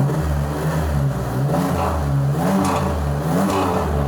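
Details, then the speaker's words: Blake's Firebird with his first exhaust system, a Flowmaster; deep smooth rumble rising and falling with throttle blips, not raspy, no rattles; judged perfect. "That sounds good, right? >> That's perfect. >> It's like deep. It's not raspy."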